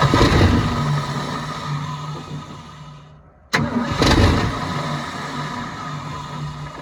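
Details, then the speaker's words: 1972 Ford F-350 auction truck on a chilly day, bowls full: catches, runs briefly, fades and dies, then fires again on recranking; not pumping fuel, and a frozen part found afterward needs penetrant. "Okay, so she's not pumping fuel. She hadn't run really long enough to pump fuel. But she's not pumping fuel."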